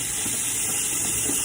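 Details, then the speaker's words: Stovetop pressure cooker of pinto beans after 30 minutes cooking, placed in the sink under cold water with the weight kept on: steady sharp high hiss over running tap water as steam vents; normal pressure release. "You hear that? That indicates that the pressure is being released."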